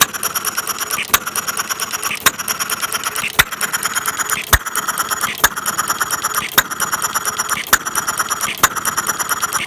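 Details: Half-scale Domestic side-shaft hit-and-miss model engine, 9-inch flywheels, make-brake ignition, gravity-fed fuel, set to run fairly slow in cold weather; sharp bang about once a second with clicking valve gear, steady and healthy.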